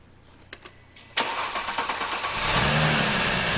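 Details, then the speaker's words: 2008 Mercedes-Benz E350 with a no-start condition: it cranks, then catches and runs once carb cleaner is sprayed into the intake. This rules out ignition and the computer; fuel delivery failure, traced to a failed fuel pump in the sealed PZEV tank. "so this pretty much eliminates ignition computer all that other stuff so we're going to pursue the fuel system here"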